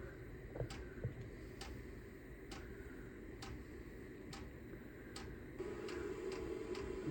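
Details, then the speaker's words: Chinese diesel heater (VEVOR controller) bench-tested before installation in a trailer, not primed first: the fan runs, then sharp single ticks about twice a second start as the dosing pump begins pumping fuel; normal operation. "the fans running pumping yet usually takes a minute for it to start pumping oh that's pumping now"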